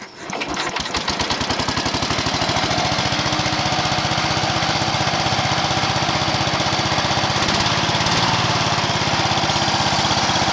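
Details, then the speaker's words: Allis Chalmers 716H garden tractor engine with cleaned original carburetor, started with no choke and revved; fast, uneven chuffing with irregular pops back out the intake, blamed on bad valves; points and condenser wiring was also loose and rusty. "It was loose, which that could cause a mess, but the valves are bad. You try revving up, I don't know if you can hear it. It starts popping out the intake. Well, when it's popping out the intake, it can't suck no fuel."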